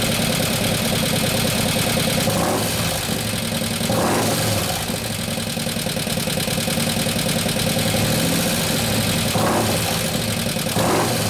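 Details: 2015 Harley FLH Road Glide, 103ci Twin Cam, after a camshaft install and new oil pump: loose, uneven light ticking over the lumpy idle. Oil pressure is present; the hydraulic lifters have not pumped up yet.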